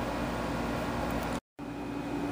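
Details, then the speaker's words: Heathkit T3 signal tracer: loud harsh hiss and crackle fills speaker as soon as gain is raised slightly, same fault Mr Carlson diagnosed. "soon as I turn up the volume just a little bit of the gain just a little bit this is what we get the exact same problem is what Mr Carlson had"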